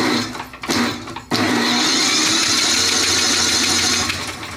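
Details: Yard Machines snowblower with Tecumseh 8 hp electric-start engine, hard starting, lubricant mix just added: starter whirs in a high, steady drone for a few seconds without firing, laboring against a stiff engine; strained cranking, cause suspected, not confirmed.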